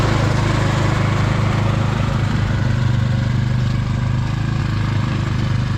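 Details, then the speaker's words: Husqvarna snow blower with a Briggs & Stratton Snow Series engine, morning after a carburetor replacement, cold out with cold oil, electric start: a steady, even low drone, no misses or surges. Normal running. "after swapping the carburetor out on this thing last night and it was running good it's the next morning we're just going to start it up see if all the controls work"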